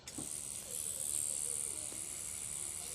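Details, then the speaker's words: Cheap online rotary tattoo machine running at about eight volts with a standard needle fitted; steady, even high-pitched whir with no stutter or knocking, quiet but with some vibration, running normally. "it's really silent but i observed a amount of vibration"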